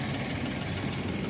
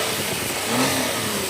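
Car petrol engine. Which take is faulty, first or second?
second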